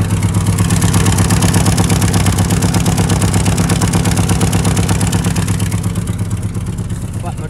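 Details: 1984 Mitsubishi L200 Express farm ute idling: steady low idle with a regular puffing chuff about three times a second over the engine note; exhaust leak.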